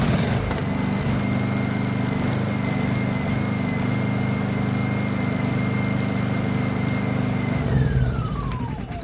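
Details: Honda EU2000is inverter generator, bought not running after long storage and revived, running for hours: steady even hum with a constant whine, then a smooth wind-down at shutdown; runs healthy.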